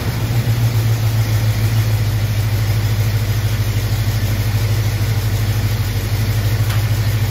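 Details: 1974 AMC Javelin V8 after oil leak fix and timing set, coolant line still leaking: steady, even idle with deep low rumble, no misses or knocks; normal idle.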